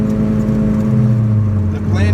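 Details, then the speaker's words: 1994 Acura Integra at 60 mph on highway, phone held toward rear: loud even low hum under road noise from worn rear hub/wheel bearing; fix planned by replacing hub assembly; wheel bearing hum. "and wheel bearing, you're just gonna hear it hum. That's all it's gonna do."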